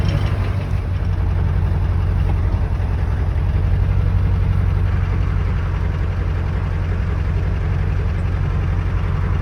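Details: Ford 7.3 Power Stroke diesel, manual, cold start after sitting about 2 weeks in cold weather, glow plugs cycled about 3 times; deep, steady idle with even low rumble, no misses or knocks; normal cold diesel idle.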